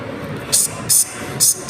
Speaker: when you hear that that's the hissing sounds it means it's an indicator that you're now creating the phone